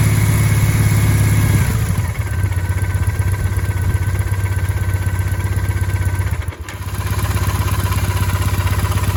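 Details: 2008 Triumph Bonneville twin, under 14,000 km, at idle: light regular ticking chatter about four per second over exhaust beat, disappears in gear with clutch half released; dealer says normal, source unidentified idle noise.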